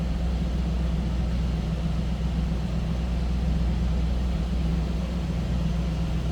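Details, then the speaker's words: 1984 Chevrolet Camaro Z28, V8, 31,514 miles, just after cold start warming up: deep even rumble, steady idle, no ticks or knocks from the top end or exhaust; healthy cold-start idle. "Sounds pretty good. Let's take a listen. Nothing crazy over the top or exhaust. Nice sounding Camaro."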